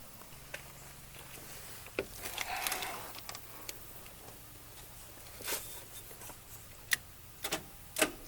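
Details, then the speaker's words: 1953 Oldsmobile Rocket Super 88 barn find, start attempt with ignition sorted: sharp single solenoid clicks at irregular intervals, the starter not engaging and the engine not cranking. "I go to turn the key over and guess what the starter doesn't engage all that works is the solenoid you can hear the solenoid clicking that's it"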